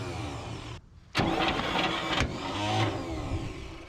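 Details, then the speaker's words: Abandoned 1959 International B100, starter hot-wired with a push button to the battery: starter grinds slowly, cuts out, then labours sluggishly and unevenly without firing; weak cranking, not the best but cranking. "well she's starting to crank until she don't there we go right there she ain't the best cranking thing I've ever heard by any means but she is cranking"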